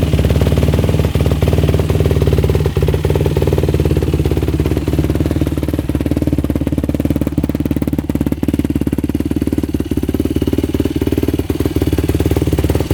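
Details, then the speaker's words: 2005 Yamaha YFZ450 single-cylinder race quad on a yard test ride after repair, warmed about five minutes, revving out fully in first gear: crisp, even firing with no knock or rattle, no smoke, no overheating; engine running healthy. "all right temperature like five minutes so no smoke no overheating pipe is good yeah it's really good revs out all the way"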